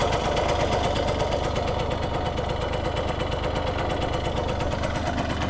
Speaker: See if we can do a quick start up here. The motor sounds like brand new.